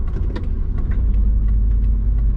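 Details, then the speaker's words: Twin-turbo Subaru Forester being tuned for ID1300 injectors after latency changes: deep rumble with irregular stumbles, rough misfiring running; owner suspects spark and plugs, cause not confirmed. "all right guys i went to go for a drive back down the driveway it was running not the best so i brought it back in"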